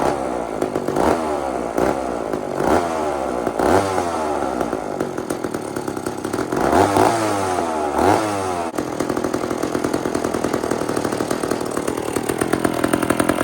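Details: Old chainsaw (possibly 2399 or 2899 B10) on a slight prime: surges and drops in uneven bursts, then a rough hunting idle, struggling to stay running. Likely lean; low-speed jet needs more fuel.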